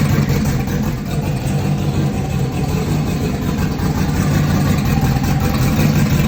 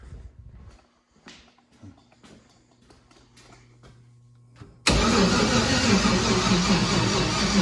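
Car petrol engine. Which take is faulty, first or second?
second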